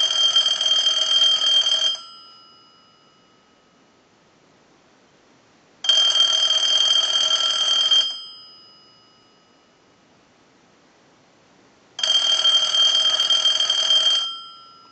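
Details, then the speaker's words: Bell South clear Lucite Trimline telephone, repeated ring cycles: three steady electronic bursts, two seconds on and four off, identical each cycle. Normal ringing. "we're going to ring it one more time we'll let it go a few times we want to be assured that this is going to work in any location"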